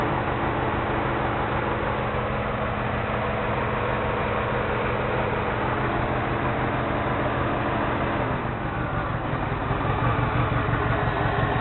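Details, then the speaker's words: 2002-03 Subaru WRX EJ205, warmed up, loud rough idle with uneven lumpy pulse, engine shaking a lot; cylinder 3 misfire, spark plug ruled out; supposedly a cracked valve; small squeak from AC compressor. "When I first got it, it was misfiring on cylinder 3. I was hoping for a spark plug, but that wasn't the problem. The engine does shake quite a bit."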